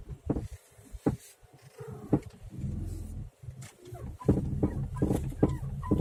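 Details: Mitsubishi Legnum suspension knocking over bumps: irregular dull clunks in bursts, no clear squeak. Straight arms are new, upper arms are used; no stabilizer fitted. Owner suspects the curved-arm ball joints; not confirmed.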